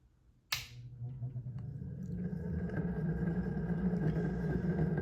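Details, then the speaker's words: Early Hunter C17 antique 52-inch four-blade ceiling fan, as-found before restoration, hardwired to one speed; little motor hum, low coarse rattling rumble building after switch-on with vibration: worn thrust bearing. "Primarily, what you hear is the thrust bearing making all that racket. There's some vibration from that."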